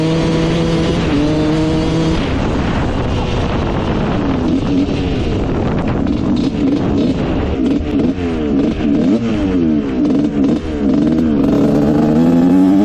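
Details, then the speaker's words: Rebuilt 1986 Honda CR125 two-stroke dirt bike, which had a bad bog before: crackles and stumbles at low throttle, recovering as revs climb; it breaks up low, and turning the air screw out another turn fixes it. "all right this thing is running great um you can hear it kind of breaking up low end so we turn out the air screw another turn and we're pretty much perfect now"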